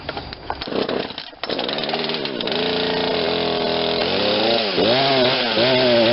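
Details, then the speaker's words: Poulan Wild Thing 40cc 2-stroke chainsaw that sat too long, first start after fitting an aftermarket carburetor, choke off: catches, stumbles and sags at low speed, happier at high speed, then dies; owner suspects too rich at low speed; bogging. "Starts a little slow, and then once it, I think at low speed, I think we got too much gas because it's kind of bogging at first."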